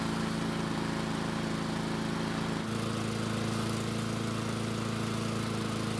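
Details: Husqvarna mower with new blade, running after a no-start repair: steady, even single-cylinder drone with no misses or surging; running smoothly and healthy.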